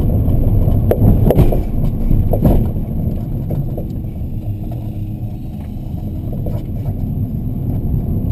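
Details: Rear-left BC Racing coilover driven under 4 months: irregular dull knocks over road rumble while driving, sharpest over bumps. Tightening nuts and adjusting height and preload didn't help, and stock suspension was quiet. The shock cartridge had failed and was replaced under warranty.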